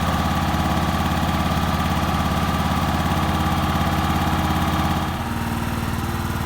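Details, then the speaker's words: Portable generator pull-started cold with dead battery, choke just pushed off: small single-cylinder pulsing evenly, then easing to lower steady idle as idle control turned down; normal idle. "As it warms up, you can turn this for it to idle down. I could use the electric start, but the battery's dead. So even though the battery's dead, you can still cold start it and still produce power."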